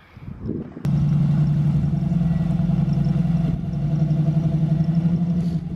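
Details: LS-swapped Camaro with a big cam and automatic transmission, on its first drive: deep, uneven, choppy loping idle that rises and sags about three times a second; normal healthy lopey idle.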